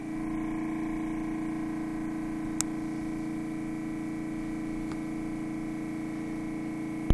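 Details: Refrigerator running unusually loud: a constant droning hum with a pronounced, unvarying mid-pitched tone; cause not evident.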